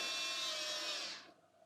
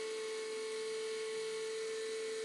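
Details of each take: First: 1987 Mercedes 560SL (R107) fuel pump, hotwired to a power supply after rebuilding the assembly, fuel back in tank: steady high-pitched hum about a second, shuts off cleanly; fuel now reaches the distributor, pump healthy. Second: 1987 Mercedes 560SL (R107), unstarted since 2008, fuel pumps powered by power supply, line into bucket: steady high whine about four seconds then cut off, spinning but delivering no fuel; owner suspects a plugged filter.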